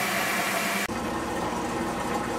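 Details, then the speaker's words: Samsung washer with E2 drain error, drain pump jammed by a bobby pin, now running after removing it and cleaning the filter; sudden change to steady whirring hum with water rushing out, no rattle or grinding; normal drain pump operation. "we had success of bobby pin was what was plugging up the pump you hear the water coming out"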